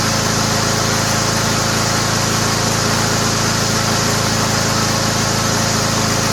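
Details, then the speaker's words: Toro Recycler lawnmower fitted with a used Honda engine: steady, even drone with a constant blade whistle, no misses or knocks. The engine runs smoothly and healthily. "Sounds great. That's a good engine, man."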